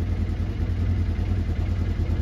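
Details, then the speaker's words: 2015 Polaris Ranger 900 XP, warmed up, was running irregularly while the gauge read a negative coolant temperature: as the reading returns to normal, the idle smooths to an even thump; failing coolant temperature sensor upsets the fuel mixture. "and I can hear the engine smooth out so this is indicating to me that the engine coolant temperature sensor is failing and it's giving the ECM and a regular reading which is messing with the fuel mixture and making it run like crap"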